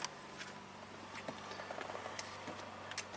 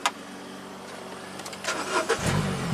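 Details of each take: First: Mini Cooper with intermittent crank no-start: a couple of chimes, then even cranking about three turns a second that never catches. Ignition coils get no power through the engine computer despite the DME relay powering up; no spark. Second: Mini Cooper with a crank, no-start from no spark, tested once power reached the ignition coils. Short quiet cranking, then it catches cleanly and settles into a smooth, steady idle: normal start.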